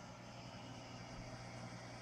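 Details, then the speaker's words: 6040 CNC, 1,500 W water-cooled spindle, coolant pump circulating washer fluid and distilled water, just switched on: low steady hum with no rattling or surging, bubbles through lines; pump running quietly and normally. "some bubbles going through and I can hear the hum every slight hum in the background"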